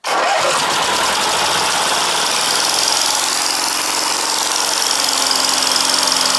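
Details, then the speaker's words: 16 hp Briggs & Stratton opposed twin after carburetor and magneto change, choke off, air filter on: loud lumpy uneven running, gas pouring out of carburetor; owner suspects serious blow-by, worn rings or cylinders. "I think that has some serious [ __ ] blow by you know something like theythey if I could put the camera over there this gash is dumping completely into that carburetor"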